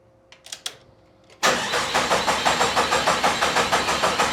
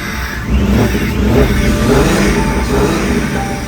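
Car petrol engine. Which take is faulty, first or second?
first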